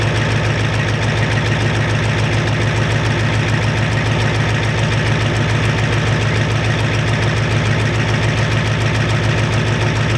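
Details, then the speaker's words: 1993 Ford F-250 7.3 IDI diesel after turning the injection pump up and purging air: steady even clatter about three and a half beats a second, no misses; sounds much better, burning a little oil, normal idle. "sounds a lot better anymore"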